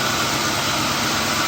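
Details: Infiniti M45 first start after engine swap, car sat for ages: even, smooth idle under hiss, no misses, knocks or smoke; idler pulley wobbles slightly, power steering fluid low; engine runs healthy.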